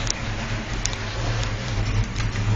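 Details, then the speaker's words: Freshly rebuilt muscle car at idle: a deep, uneven loping rumble with a choppy beat from a big cam, not a street sound; otherwise steady, healthy and running well. "so it's you've got that cam sound about it it's just not a street sound"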